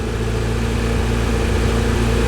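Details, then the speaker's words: Fiat Uno Turbo with an overheating problem, restarted after bleeding a suspected airlock: even, settled idle with a smooth low hum and none of the top-end tapping from ungapped cam shims; valve clearances are right. "sounds right so it's really smooth"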